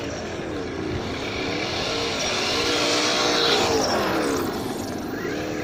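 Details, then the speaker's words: Losi Baja Rey RC trophy truck, stock motor and ESC on 2S LiPo, run on gravel: a wavering, scratchy squeal rises and falls with throttle over the motor whir. Gravel stuck at the rear driveshaft is scratching the drive cup. "That's where all the gravel gets stuck. Okay? And then when you throttle, it scratches the drive cup. So that's why you hear all that screechy noises."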